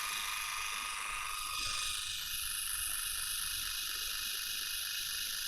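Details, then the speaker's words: Water flosser pump motor on the bench at about 3.7 V: a high, steady buzzing whine with no stutter or grinding; the motor and board work, and the fault is in the protection board. "microscope so you see we have a light here and the motor is turning on I disconnect it right now let's connect it again let's turn it on let's try to increase this bit so it is working"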